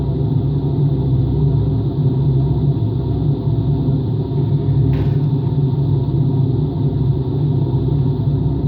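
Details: Washing machine on a rinse-and-spin cycle with an empty drum: constant deep, rough rumble at speed; owner suspects both motor and drum bearings are worn, no leak seen.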